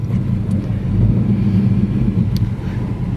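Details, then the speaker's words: 1966 Plymouth Barracuda V8, automatic, believed original motor, new plugs, plug wires, fuel filter, glass packs and tailpipes, original-style carburetor: deep, steady low rumble with even burble, no knocks or misses; normal smooth idle. "I want to start it up and let you hear it run and then I'll get into the the things that work and things that don't"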